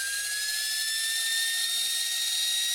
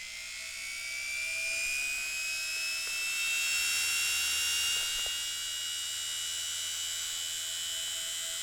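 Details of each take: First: Cheap Welling appliance motor running with a high-pitched, slowly climbing whine over a rough hissing rasp from worn bearings; it spins slowly with almost no torque. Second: Appliance motor run on the bench: high, steady whine with brush hiss, spinning fast and evenly with good torque and no commutator sparks. Normal high-speed running.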